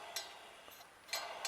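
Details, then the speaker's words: Bonneville engine bay: three sharp metallic dings at uneven spacing within two seconds as the alternator fan strikes the power steering pulley. "So the next thing I got is the alternator fan hitting the power steering pulley."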